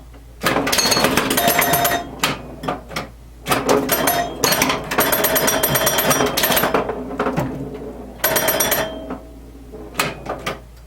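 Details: 1977 Williams pinball, the first solid-state machine Williams released and originally designed as electromechanical, playing after an electrical restoration with a repaired CPU board: bursts of sharp solenoid clacks, ringing chime notes and clicks. Plays through normally.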